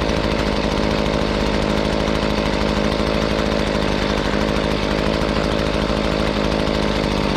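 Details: Hitachi 23.9cc two-stroke gas engine, likely the 2015 blower, with an owner-noted fuel leak, after a cold start: an even, high-revving buzz holds steady speed with no bogging or misfire; running normally.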